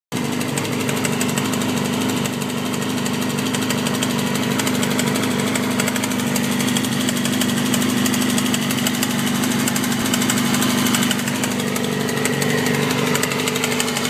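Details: 2007 Yamaha R6 idling at a stop: fast light metallic ticking over the hum, started quietly and grew loud; recently had valve adjustment, plugs and oil change; owner suspects cam chain tensioner or low oil, unconfirmed.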